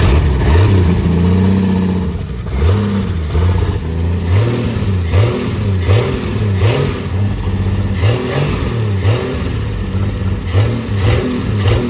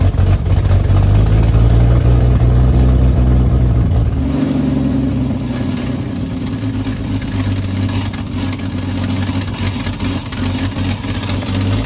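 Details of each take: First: 1952 Ford F1 pickup, 215 OHV inline six, barn find with fuel leak and carburetor needing a new main body: revs up and settles repeatedly with clean, even firing, no misses or stumbles; normal running and revving. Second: 1952 Ford F1, 215 OHV inline six, long-stored barn find, running on choke: rumbles unevenly a few seconds then drops away and dies, cranking slow; carburetor not feeding fuel suspected, unconfirmed.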